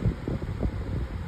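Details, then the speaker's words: Oscillating fan from a collection, listened to about 2 feet away: soft steady low whoosh with no ticking, rubbing or rattle while oscillating; quiet fan running properly. "I feel like a gentle grease um it's very quiet this is the oscillation it's also it's also doing a good job of staying up right while this thing is"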